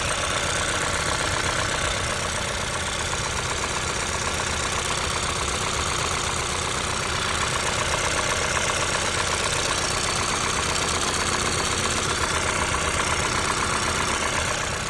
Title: I20N knocking noise